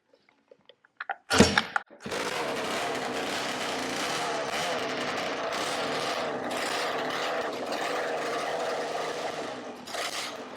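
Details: Roughly 20-year-old 50cc two-stroke mini moto engine, started after a spark plug was done up: sharp start, then a steady, high, buzzy run, even and unbroken; running properly.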